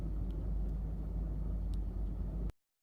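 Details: 1985 Mercedes-Benz 190E petrol engine at idle: deep, uneven rumble pulsing irregularly instead of running smooth, a rough idle.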